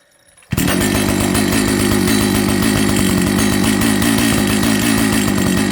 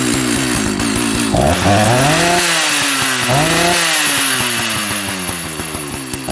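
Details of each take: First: Old Jonsered 930 project chainsaw after a restart: steady high-revving two-stroke buzz with even firing and no stumbling, so it runs. The bearing underneath is dry, and the air filter cover mount is stripped. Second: Old Jonsered 930 project chainsaw restarted with covers on and bar oil added to check the pump: at high idle the pitch swoops and sags unevenly, cause unknown. The owner plans to reset the carb screws one turn out.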